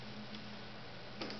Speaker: so right now the relay has clicked it's opening up the circuit